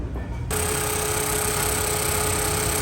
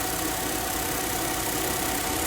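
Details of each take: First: Suzuki Swift AC compressor running with a steady mid-pitched whine over engine hum that disappears when AC is switched off; pressures 35 and 175, cooling good. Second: Suzuki Swift AC compressor after cleaning a very dirty system and refilling oil (noise came from low oil; pressures 35/175): steady, even idle hum with no knocking or chatter, compressor now running quietly and smoothly.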